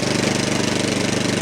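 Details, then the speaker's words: 13-year-old MTD snow blower, Powermore 208cc, warming up right after a full-choke start following the fuel-line refit: a quick, even single-cylinder putter at constant speed with no surging, not hunting, though the exhaust smell is bad. "Ooh, it's not hunting at all. Now the smell's pretty bad, but I kind of expected that."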